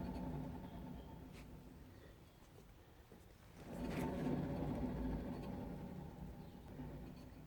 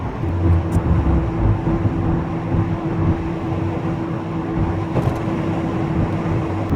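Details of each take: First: VW Golf Mk3 cabriolet, jacked up, rear wheel spun by hand with handbrake off: low hollow rumble pulsing about four times a second, light drum-pad scrape; worn rear wheel bearing. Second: VW Golf Mk3 cabriolet rear wheel bearing (owner suspected it was worn): at steady road speed there is even road roar, with no growl or hum climbing with speed; the bearing runs quiet.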